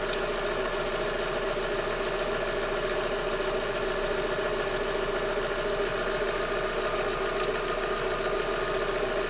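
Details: Daewoo Lanos 1.6 16V at steady idle: light, fairly quick tapping, roughly two a second. It goes away when the timing belt and rollers are wetted with water and stopped after replacing the belt and rollers, though the removed parts showed nothing suspicious. Timing belt idler knock.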